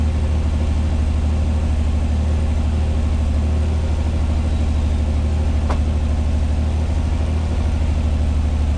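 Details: 1986 Pontiac Fiero SE V6 with known high idle problem, cold start; steady low drone at 1,220 rpm per timing-light tach, no stumble, slowly easing down; owner suspects vacuum leak, idle control or sensor issue: high idle.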